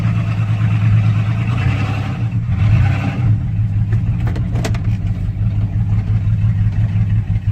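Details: 2006 Chevrolet Silverado 4.3 V6 with P0305 and P0200 codes, blinking check engine light. Low uneven idle with irregular stumbles and a lumpy, inconsistent beat from a misfiring cylinder. Failed injector, open harness or bad ECM signal suspected, unconfirmed.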